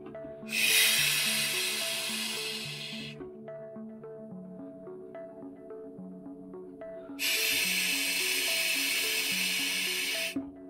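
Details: Newly built well with an IBO surface pump priming through its suction line after running dry: two long hissing rushes of air a few seconds apart as trapped air vents before the pump draws water.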